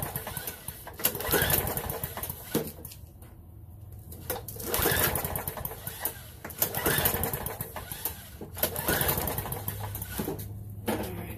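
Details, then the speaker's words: Lawnmower with ethanol-gummed carburettor: the engine surges and sags every couple of seconds, nearly dying between bursts. A tiny fuel hole in the bottom of the carb was found gummed on either side, a clogged jet starving fuel. "all right I found the problem you're probably not going to be able to see it but there is a little tiny hole right in here in the bottom of this fuel gums in here on either side"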